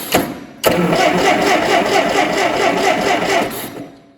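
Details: Allis Chalmers D17 tractor, first start attempt in chassis: about three seconds of steady starter cranking with even compression pulses and no firing; points were dirty, cleaned with sandpaper afterward.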